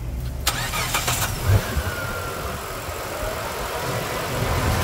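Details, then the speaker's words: Mitsubishi Pajero Dakar V6 petrol/flex on a post-purchase service with timing belt change, cold-start reservoir filled: starter churns briefly, then the V6 catches into a steady smooth idle, no knocks or misses, healthy start. "E aqui está a usina de força V6 Mitsubishi. Vamos escutar essa melodia. Partida!"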